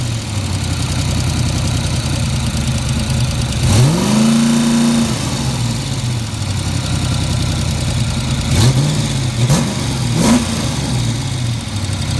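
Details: Fox-body Mustang V8 idling with a steady low rumble, then two throttle blips up and back down; a tick or knock underneath, owner unsure whether it is rod knock or lifters.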